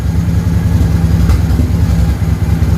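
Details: Honda VT 750 V-twin after stator replacement: steady, even low thrum at idle with no knocks, misses or whine; charging close to 13 volts, idling cleanly and healthy.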